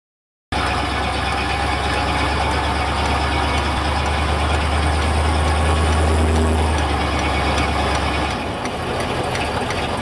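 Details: 1975 Corvette Stingray, camera mounted under the car: steady light ticking, about three a second, from the rear end over low engine and drivetrain rumble.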